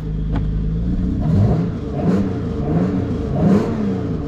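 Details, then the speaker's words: 1997 Peugeot 406 Coupé 3.0 V6, just arrived from the tow truck, starts and settles into a smooth even run with gentle revs, a little smoke, not pushed hard; pleasant V6 sound; clutch hydraulic cable or fork fault suspected separately. "Ça fume un petit peu, on pousse pas trop, mais ça vous permet quand même de constater que ça démarre et que ça fait un beau petit bruit."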